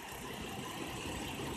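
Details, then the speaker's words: 2004 Cadillac CTS 3.6L at 213k miles, injector, coil and plugs replaced: uneven, lumpy idle with irregular low thumps, engine shaking badly, no change when cleaner sprayed for vacuum leaks; misfire, mostly cylinder 1, cause unknown. "not really hearing any change in the engine you could just look I must stop trying to move the engine is shaking pretty bad"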